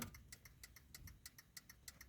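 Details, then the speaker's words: 2012 Hyundai i10, ignition on, indicators not actually flashing: rapid indicator relay clicks about six per second, like hyper-flash from a broken bulb; indicating left works normally. "all that clicking noise which is basically sounds like the indicator are flushing but they're not it also sounds like when you have like a broken bulb and you indicate it will just do all that fast blinking"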